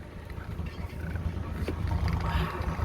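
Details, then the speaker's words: Yanmar 3GM30F sailboat inboard started with the faulty master switch bypassed: steady low diesel thrum with even pulses, no knocks or misses; runs cleanly, cooling water telltale flowing. "So if I tap the switch now, let's see what happens. Voila! It starts."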